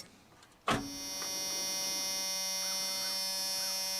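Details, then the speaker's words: Junkyard Chevrolet S10 pickup with borrowed battery: click at key-on, then steady high-pitched electric whir holding constant; fuel pump priming, pump works. "that fuel pump is working let's try one more again"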